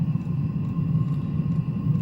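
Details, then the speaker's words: New Chinese diesel heater, first run, glow plug lit flame about 2 min 20 s after priming: even deep combustion rumble with faint steady fan tone, no pulsing or misfire; burning normally. "2 minutes, 20 seconds, I heard the flame kick on, the pilot, or the glow plug, I should say."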